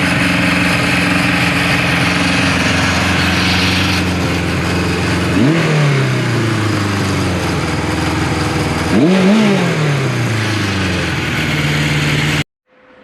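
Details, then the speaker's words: 1974 Kawasaki Z1 four-cylinder, first start in years after revival, started first try and run through a heat cycle: smooth, even idle with two clean throttle blips that rise and settle back; healthy engine warming up. "Started first try, YouTube."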